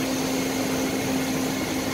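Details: Tumble dryer running with a steady airy rush and low hum, still noisier than it should be after WD-40 was applied to quieten it; fridge and wine cooler fan noises were also treated.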